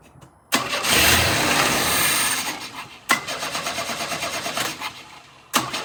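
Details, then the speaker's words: 1988 GMC S15, first start attempt in years after jumping the fuel pump relay, with fuel dripping from a leak. The engine catches for about two seconds and dies, then slow uneven cranking never refires; suspected just fuel that ran into the throttle body. "It did start for a second there. I think that's just a bit of fuel that ran into the throttle body."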